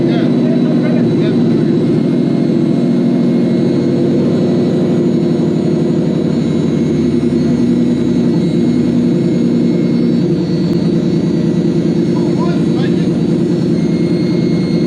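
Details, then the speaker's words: Toyota/Lexus V8 newly rewired to a Link Monsoon ECU: deep, steady drone holding an even beat with no misses or hunting; after the rewire it now runs like it should. "Sounds good though. Yeah. Vroom vroom. It now runs like it should."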